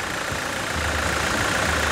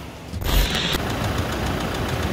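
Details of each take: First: Toyota SW4 2017 with 2.8 1GD diesel, engine just installed and running with coolant, pressure monitored on a gauge while it warms up and is checked for leaks: steady, even diesel idle clatter, no knocks, misses or rhythm change. Healthy idle. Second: Toyota SW4 2017 with 2.8 1GD diesel that ingested water and dirt through the intake, idling after washing and new filters, diesel and oil: steady hard knock over the clatter from worn bearings. Cleaning failed; engine condemned.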